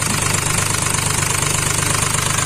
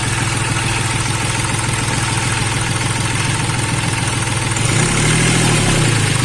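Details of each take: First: Hyundai Xcent diesel with Delphi injection, low fuel pressure: idle with a hard, rapid knock and uneven misfiring pulses. An injector was showing excessive return flow. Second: Hyundai Xcent diesel after swapping in a second-hand injector to cure excess return flow, low fuel pressure and misfire: steady, even idle clatter with no skipping, misfire gone.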